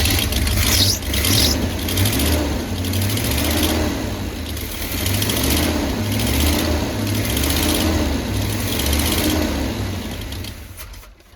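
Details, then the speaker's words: Chevy Hi-Cube van (stated as 1985 or 1986), fed from a boat tank with the carburetor bowl filled by hand: engine runs with an uneven surging beat, then fades and dies; the fuel pump isn't delivering – fuel starvation. "Well, the fuel pump isn't working, but other than that, it runs. Fill the bowl, it runs off that, so that's good."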